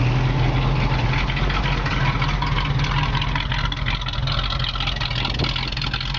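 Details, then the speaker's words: Restored 1969 Pontiac Firebird convertible V8 with Edelbrock air cleaner and valve covers: a deep, even idle rumble with a steady beat and no misses or knocks; purrs like a kitten, normal idle. "You can hear the engine just purrs like a kitten. It's just perfect."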